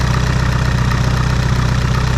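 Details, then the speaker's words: Mitsubishi Evo VIII, built engine, first start after new hardware fitted: steady idle with rapid, even low puffing chuff on each firing pulse; suspected blown exhaust gasket leak. "still waking a little bit my gaskets gaskets probably blown out"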